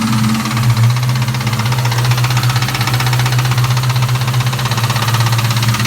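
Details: 1998 Mustang GT V8 at idle with a steady light tick about four times a second over the hum; valve covers already checked and fine, cause unknown.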